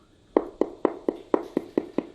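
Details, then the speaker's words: Sun-room floor tile tapped eight times, about four taps a second, giving a dull hollow ring from a void beneath the lifted tile; hollow tile, to be fixed by drilling grout lines and injecting Fix A Floor. "we have that lovely Hollow sound hollow right there in the middle you can hear it"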